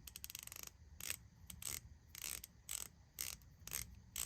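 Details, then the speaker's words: Palm-grip hand ratchet after cleaning, polishing, oiling and greasing: quick runs of fine, even, crisp clicks with no grinding or catching; about the smoothest ratcheting mechanism the owner has, smooth well-lubricated ratchet action. "That is about the smoothest ratcheting mechanism I have. I oiled it, greased it."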